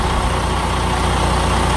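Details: Deep, steady DD15 diesel idle in a truck after the fuel pump was replaced (previously check engine light, trouble accelerating, surging); even low beat, no rise and fall or surging now.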